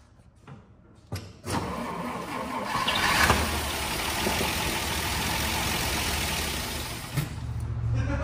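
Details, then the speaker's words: 1939 Dodge D11 sedan, not run for about 20 years, cranked to check for spark: a few seconds of cranking, then it catches and settles into a steady, slightly uneven run. Engine starts and runs, confirming spark. "i was just you know gonna see if that would uh work and uh by golly this thing runs"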